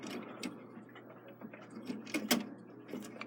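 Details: Takeda 30-day short-drop octagon clock, believed overwound: crisp, evenly spaced ratchet clicks as the key winds the time side show it winding normally. The other side has no click, and its spring end slips off the hook.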